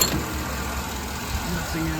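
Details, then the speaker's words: Vehicle idling after fuse checks and with temperature holding so far; steady, even low idle hum with no knocks or misses, motor sounds really good. Normal idle. "There we go. Motor sounds really good."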